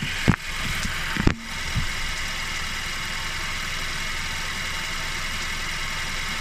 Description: Anyone know what the weird sound is